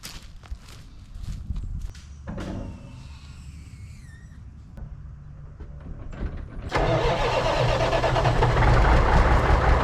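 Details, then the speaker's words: 1980s Marmon cabover semi, Big Cam Cummins diesel unrun about 18 years, in neutral: scattered cranking then catches at about seven seconds into steady loud run; fuel shutoff solenoid not working, oil gauge stuck at 15 psi, suspected bad. "Well, she runs. The problem is there's no way to shut the fuel off."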